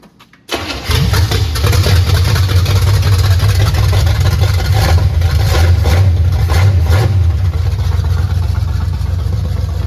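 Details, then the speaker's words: 1979 Chevy Camaro with headers, first start in 4 years, with throttle pats: catches, then runs loud and uneven with a slight sag, still choking; junk smoking off the hot header. "[Music] Oh, she's still choking out here."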